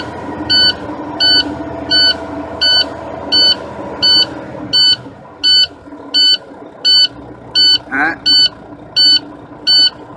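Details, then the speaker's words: Big-rig truck just started during an air brake pre-trip inspection, tanks near 120: a high-pitched warning buzzer beeps steadily about 85 times a minute over a quiet idle. The low air warning keeps sounding, which the driver says indicates a fault. "who cares going out search obviously has a fault just due to the fact that the way they're warning Buzzard still buzzing man cut that key off that's driving me a little bit insane"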